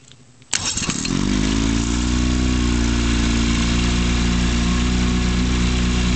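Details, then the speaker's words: Beat-up scrapyard 1957 Evinrude 18HP electric-start outboard, model 15922, with filed points, two good plugs and a readjusted carburetor, though carburetor still somewhat messed up. Cranks, catches at once, steady even two-stroke burble without misses or knocks; runs fine. "this thing runs fine"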